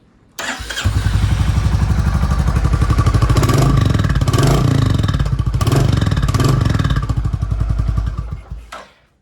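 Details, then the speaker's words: Royal Enfield Classic Reborn/Next Gen EFI single-cylinder, revved: steady thump about four beats a second, revs rise and fall cleanly, no exhaust pops on overrun; owner suspects fitted rubber may be preventing the backfire. "तो फिलहाल तो इसने पटाखा नहीं फोड़ा। हो सकता है मैंने ये रबड़ लगा रखा है, इस वजह से नहीं फोड़ रही हो।"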